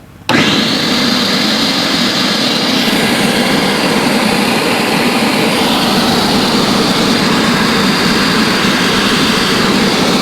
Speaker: I think that's just a blower motor yeah it's probably just the blower motor the cooling fan but I don't hear the uh engine running